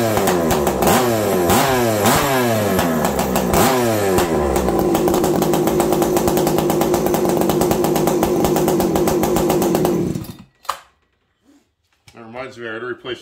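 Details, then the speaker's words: Farmertec 288 kit chainsaw with oiler problems: crisp two-stroke revving in quick strong bursts then holding steady high revs; engine sounds healthy, though the saw is not oiling in cut. "I know this this thing sounds good doesn't it"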